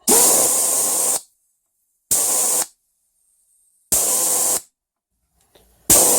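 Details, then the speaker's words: Toyota Land Cruiser A442F automatic transmission solenoid, normally open, bench-tested with air pressure at 10.4–10.5 volts: air hiss starts and stops sharply when switched, snapping cleanly with no leakage. "You can see that one's snapping quite well at 10.5 volts, which is what a battery would be when it's flat. And that one, if you have a listen, is not leaking at all."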